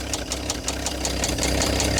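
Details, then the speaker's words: Old Dodge Power Wagon flathead first running after swapping the 6-volt coil for a 12-volt coil. A sharp, regular rod knock, five or six a second, rides over the uneven idle; idle screw needs adjusting. "I mean, aside from the rod knock, it doesn't sound bad."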